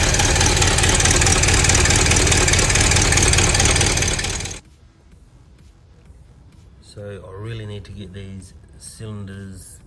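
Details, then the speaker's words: Chrysler 318 LA V8 recorded over 12 months earlier, idling with a regular knock about three to four per second, owner suspects piston slap; pistons and bore clearance to be measured before deciding on a rebore. "um now this engine did have a a knock to it like a piston slap knock"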